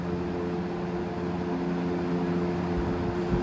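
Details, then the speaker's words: Vintage GE F12 W22 fan (corner-badge model, c.1966–67), after service, on high: steady low motor hum, rush of air, faint slow wobble; runs normally with only slight blade imbalance, bearing noise gone. "And this one isn't even in too bad a balance. I've seen much worse on a GE. Some of mine are much worse."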